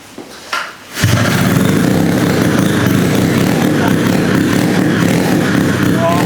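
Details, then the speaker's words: Rotary-swapped Honda QA50 minibike, sat 6 months, choke on, new spark plug, started in 3 pulls: catches and settles into crisp, steady, even buzz, no knocks or misses; normal running. "It started up like a champ. It's been sitting for 6 months and it started in 3 pulls."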